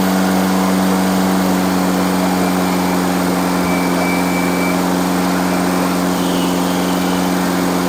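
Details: Freshly rebuilt engine during break-in, after reconnecting the vacuum advance line (suspected vacuum leak) and correcting a backwards-connected fuel pump: steady run with even low drone and faint slightly uneven beat about three per second; idle a bit rough.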